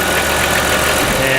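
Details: 1998 Chrysler Town & Country 3.8 L idling after replacing the number 1 fuel injector. A short, steady, hiss-laden idle with no knocks, stumbles or surges, running smoothly. The OBD2 scan afterwards shows zero faults, so the cylinder 1 faults appear cured.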